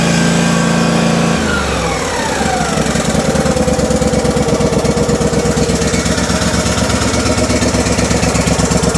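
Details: Simplicity Stallion zero-turn Kohler twin, after head gaskets, valve train check, carburetor rebuild and a new muffler, customer reported poor running: after a short speed change it settles into a steady, even putter with no misses or stumbles.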